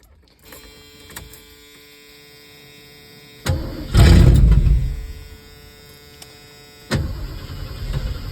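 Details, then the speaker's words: 1971 Comet, first start after a carburetor rebuild with a new accelerator pump, done to cure hard warm starts the owner suspects came from flooding: short crank catches, revs flare and fall, then it fires again into an uneven idle. "I haven't tried to fire it since I rebuilt it, so let's see how it does."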